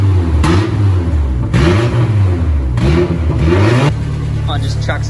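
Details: Engine spins up cleanly through several blips and settles back smoothly, no knocks or misses, after the engine was finally got running; healthy, sweet-running motor.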